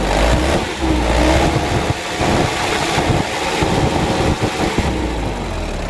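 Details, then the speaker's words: Second-hand Mitsubishi Canter diesel truck idling: harsh, uneven mechanical clatter over low rumble, rough noise from the left side; mechanic suspects timing gear first, then injection pump camshaft bearing, unconfirmed. "sama-sama kita coba dan kita dengar suara mesinnya itu lumayan kasar sumber suaranya itu dari sebelah kiri ya Menurut saya dari gigi timernya itu yang pertama yang kedua bearing dari noken as bospomnya"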